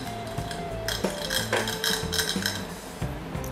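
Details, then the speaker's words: Used EHEIM 2213 canister filter with low flow: irregular metallic clinking and clattering while running, caused by the impeller slipping on its shaft instead of locking; impeller to be replaced. "นี่ครับนี่เป็นเสียงเหมือนเมื่อกี้นะครับปกติมันต้องไม่มีเสียงใช่ไหมครับมันไม่มีเสียงน"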